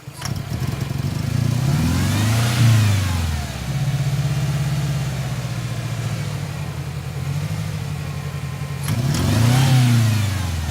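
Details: 1997 Ford Ranger rough idle: lumpy, uneven idle with a missing beat between two throttle blips; cylinder 1 at 60 psi vs 180 psi others, leak-down air from crankcase breather, oil cap and dipstick tube; dead cylinder, cracked piston rings.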